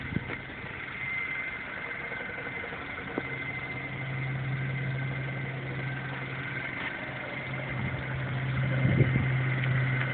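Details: MINI Cooper S, under 2k miles: steady high whine above low hum at idle; cause unknown.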